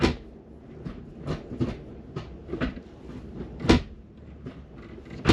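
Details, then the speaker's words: G23BK with no-name eBay B-series shifter linkage installed, engine off, shifting through gears: uneven clunks and clacks as the lever moves, loose metallic rattle; owner suspects the linkage plate needs securing, shifter linkage rattle. "I think that's this one. It's making that vibration sound. I think it's coming from the plate somewhere."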